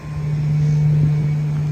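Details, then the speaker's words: 1993 Ford F-350 crew cab, 460 V8, first drive after sitting 10 years: a low, steady, quiet drone while cruising with no knocks or ticks, running smooth; a slight exhaust leak is mentioned underneath. "Super quiet too. It's running really smooth."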